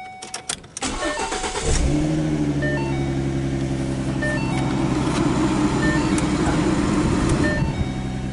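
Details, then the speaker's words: 2013 Ford Mustang V6 Premium, about 38,500 miles, stock apart from a permanent air filter: quick crank, clean catch, then a smooth even hum settling into a steady idle with no knocks or ticks; healthy start. "so let's uh let's pause and we'll start it up and you can listen to it purr"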